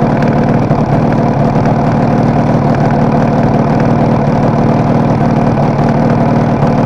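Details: Kawasaki KR250A two-stroke twin at idle, tachometer moving oddly for the last three or so runs: busy rattle with the odd stumble; owner suspects intermittent misfire on one cylinder, not confirmed.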